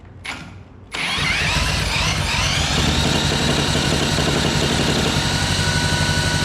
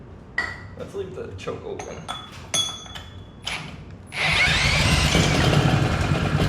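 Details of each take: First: Previously seized Honda GX200, torn down and cleaned of milky oil and cylinder rust, first run with choke open: small catches then a fast, slightly uneven buzzing beat with wavering rhythm; running but not cleanly. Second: Previously seized Honda GX200 single-cylinder engine, torn down, milky oil and cylinder rust cleaned, started with ether, choke open, full throttle: after clinking, it catches and runs with a steady, slightly rough buzzy beat; running, not the best.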